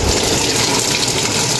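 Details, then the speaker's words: Samsung Active Dual Wash washing machine set to spin: continuous rushing hiss of water filling without pause, because the faulty board's shorted supply keeps powering the inlet solenoid; water inlet valve stuck open. "Magsiset lang tayo ng spin, dire-diretso yung tubig. May supply talaga yung solenoid. Bale, shorted yung supply nito, papuntang solenoid."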